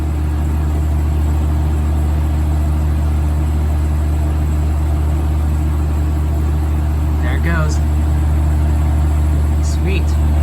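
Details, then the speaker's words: 1980s Super dehumidifier with R-12 refrigerant, final test after fan motor replacement, grille and bucket fitted: steady low hum with even airflow rush, no knocks, rattles or squeals; getting cold, running smoothly and healthy. "here it goes [Music] oh yeah that's moving a lot of air [Music] [Music] that's getting cold already oh yeah [Music]"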